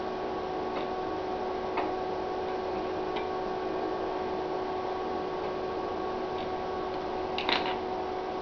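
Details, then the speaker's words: 1980s FME-500-2 FM exciter on a switching power supply, heard through a radio with heatsink and fan removed: steady mid-pitched hum with faint ticks; overheating causes hum, which heatsink and fan seem to fix. "I take off the heatsink and fan, and you hear it. Let me tune it up so you can really hear it."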